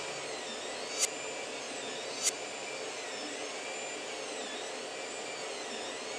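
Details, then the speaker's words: Creality CR-10 Mini 3D printer after replacing all three control-box fans with quieter ones: soft steady whir with no rattle or buzz and two light clicks; extruder fan now the loudest. "okay so after changing all the fans in the control box the control box itself is a lot quieter the thing that makes the most noise now is this fan on the extruder and of course the stepper motors when the machine is running"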